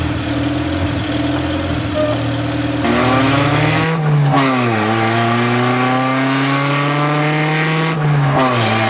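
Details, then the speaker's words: Honda CRX project car after correcting the firing order and fixing bad ground wires, no catalytic converter; loud raw exhaust climbing and falling cleanly and evenly, better throttle response — normal running. "We're getting so much better response out of our engine even. I don't really know how to describe that to you just yet. Things are just working the way they should."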